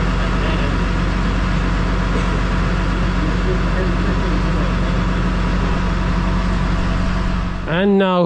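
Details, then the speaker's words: Massey Ferguson 6480 tractor diesel, sat idle for 2 years after its injector pump fell off, running after the injector pump was refitted: a deep, steady drone with an even beat and no knocks or misses. Normal running. "the 6480 is back in Action so Lee has played a Blinder for us"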